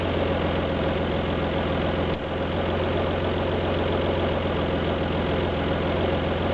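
V6 idle with an uneven, lumpy beat and a brief stumble partway through; it is misfiring at idle.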